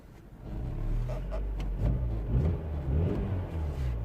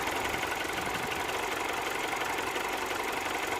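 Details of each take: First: 2007 Mini One 1.4 petrol N12 with engine light on, idle bouncing badly and stalling, code 2982: the idle hunts up and down every second or so; faulty intake camshaft position sensor. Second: 2007 Mini One 1.4 N12 petrol after the repair for bouncing idle, stalling and error 2982, heard at the front of the engine: steady, even idle with no stumble, hunting or misfire; running quite well.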